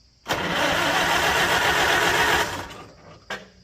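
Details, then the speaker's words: 1946 International Harvester Farmall H after repairs, gravity-fed from a temporary fuel tank: catches and runs evenly about two seconds, then sags and fades away; the tank isn't giving enough head pressure, so it starves for fuel. "This fuel tank is not giving it enough head pressure."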